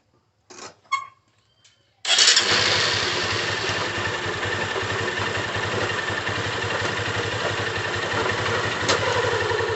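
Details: Single-cylinder motorcycle before opening the clutch cover: starts and idles with a busy, clattery rattle from the clutch side, play in the clutch basket.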